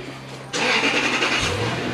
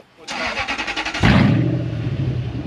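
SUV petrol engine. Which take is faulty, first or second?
second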